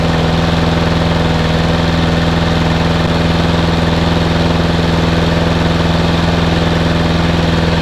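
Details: Small mower engine, started cold on a frosty day after sitting all winter and being primed, settling into a steady, even single-cylinder putter with a firm low hum and no stumbles while warming up; normal idle.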